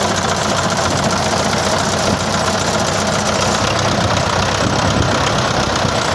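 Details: Car engine at steady idle with a fast, light tapping knock that never goes away. It has persisted about four years despite camshaft and pump work and restored injectors, and the source is still unknown.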